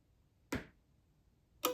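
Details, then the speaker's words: GE Evolve LED street light: the photocell is covered and uncovered by hand, giving two crisp single clicks about a second apart in a quiet room as its relay switches the light on and off normally. "Yep. You can hear it. You can probably hear it clicking as well. So I'll hold you up close and I'll cover it up. You hear the click. Take my hand away. It should turn off. Yep, you can hear it clicking on and off."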